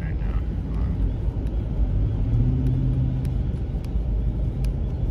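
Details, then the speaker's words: 2021 Ram 1500 Limited cruising at highway speed: steady low rumble with a faint hum on top, an annoying wind noise in the cab; source not pinned down. "you guys hear that little wind noise it is absolutely annoying like it drives me insane"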